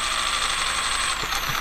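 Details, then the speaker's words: Castle Creations Cobra 10 ESC being programmed with CastleLink for rock crawling, throttle barely changed. A thin motor whine jumps in pitch as the controller dithers between the low-speed startup and running frequencies, giving a wide RPM jump. "what it's doing is it's forcing that that dither transfer in between these two speeds and so we're getting a pretty wide RPM jump when it does that"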